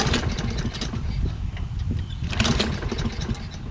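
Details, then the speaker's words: Toro Recycler mower, Kohler XT675, after quick cleaning of debris from carburetor bowl and pilot jet: choppy sputtering, struggles to start, rpm very low; owner suspects carburetor primer circuit not working; hard starting. "well at least it started rpm seemed very low i think i have to screw with throttle and it looks like the primer is not really working right it takes a bit to get it started and these things should start easily"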